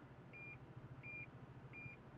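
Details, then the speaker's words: Toyota Sonar Assist parking system switched on while reversing with the engine idling. Evenly spaced high beeps, with yellow bars on the display, warn of an obstacle behind; beeping gets more rapid as the car closes in. "as soon as i start backing up the actual radar is gonna start going off you can hear a couple of beeps"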